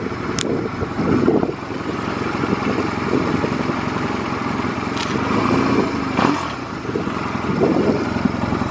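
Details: Stored Honda Rebel 250 Special (MC13) motorcycle, small twin, at a start-up check with a few short rev bursts. Revs rise and settle evenly with no knocks or rattles. No abnormal engine noise.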